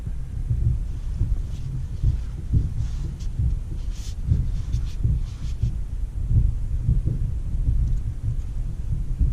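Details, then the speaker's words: New 2018 Ford F150 4x4 3.5 EcoBoost pulling a tank out of a field at slow speed on a newly fitted hitch: dull, irregular low thumps over a deep rumble as the hitch bangs around. "can hear it banging around back there a little bit that's the the hitch nothing really because of the truck"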